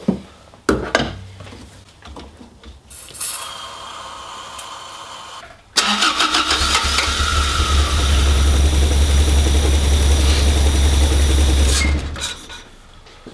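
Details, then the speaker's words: Toyota MR2 Mk1 4A-GE, not run in years, new battery, fresh fuel: the starter churns without firing, then it runs strongly for a few seconds on easy start before dying. Spark is present but no fuel is arriving; cranks but won't start. "car will run so that tells me we've got spark but we've got no fuel so that's going to some fault-finding procedure to see why we haven't got that fuel that we need"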